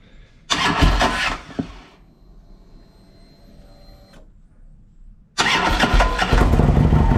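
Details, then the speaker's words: 2007 Harley-Davidson Ultra Classic V-twin after Screamin' Eagle compensator upgrade for hard starting, especially when warm or hot: harsh, loud, uneven rattling grind through both crank attempts before it catches; a viewer suspected the starter. Finding: noise during cranking. "someone commented today on the last week's thing they said it sounds like your starter because that's a lot even warmer and it's doing it"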